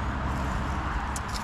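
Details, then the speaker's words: Cub Cadet RZT zero-turn mower's Kohler twin idling fast and rough with popping and snapping; suspected dirty carburettor, idle really high, rpm taking off unloaded; governor and choke linkage also needed adjustment. "I think it has a dirty carburetor I don't know if you could hear it popping snapping you know it's trying to idle the idle is really high"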